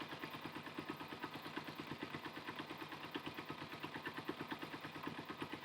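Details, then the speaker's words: Motorcycle carburetor pilot (low-speed mixture) screw turned inward on the second carburetor: even idle at about three pulses a second slows slightly as the mixture goes too lean; backing the screw out brings the idle back up. "idle slowing down a little bit so we kind of want to go back the other way where it sounds a little happier"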